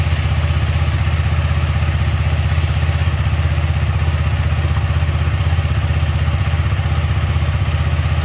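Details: KTM Duke 250 on paddock stand, engine running with rear wheel spinning after chain cleaned with Motul chain clean, WD-40 and brush, then Motul chain lube: steady low hum with soft even tick, no grinding or slapping; quiet chain drive.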